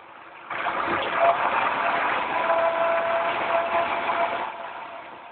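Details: 2005 Pontiac Grand Prix GTP supercharged, warm after 50+ mile drive: raspy buzzing rise with faint whine when revving at certain RPMs, not at idle or cold; removing supercharger belt didn't change it, so not the coupler.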